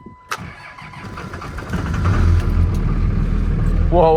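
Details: Cold start a couple of degrees below with the preheat skipped and a second battery hooked up: sluggish, uneven cranking for about 1.5 seconds, then it catches into a rough cold idle. The starter sounds weak, cause unconfirmed.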